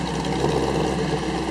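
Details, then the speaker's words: 1931 Phaeton after motor rebuild, engine tuned: even, steady low idle with smooth rhythm, no knocks, misses or exhaust puffing; nice normal idle. "they got hit all the punch list it's got a nice Idol sounds good"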